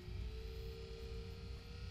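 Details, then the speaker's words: Alde 3020 heating system in a 2015 Bailey Unicorn Barcelona caravan: inline circulation pump at speed setting 1–2 gives a piercing jet-like whine over low rumble; pump failing, replaced. "and it's failing now the pump is actually not running even when i turn it down that's still not sounding very healthy"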